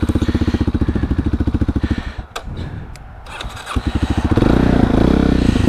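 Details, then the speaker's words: Kawasaki Super Sherpa dirt bike that had not run in a year, started after fuel line work: even, quick single-cylinder thumping at low idle, a brief dip, then a faster steady beat as idle is raised. Normal, healthy idle. "starts right up [Music] good bike speedometer is working neutral indicators working got lights the idle's a little low let's turn up the idle some"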